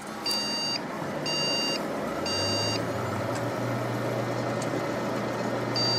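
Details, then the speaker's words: Desktop PC with no display, RAM reinstalled: long high POST beeps about a second apart, three in a row, a pause, then another. The code still indicates a memory error; next step is removing and cleaning the RAM. "Okay. Ang binibigay niya yung pa rin sa memory."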